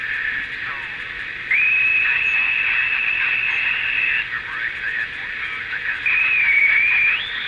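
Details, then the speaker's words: Passport solid-state transistor radio (6 RF/AF transistors, 2 diodes), first IF transformer replaced, original electrolytic caps: high thin whistle holds steady, wavers and returns; audio oscillation squeal traced to one failing electrolytic capacitor, fixed by replacing capacitors. "All right, it looks like it's this capacitor >> that's most problematic."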